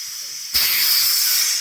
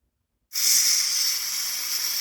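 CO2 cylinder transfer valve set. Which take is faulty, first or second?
first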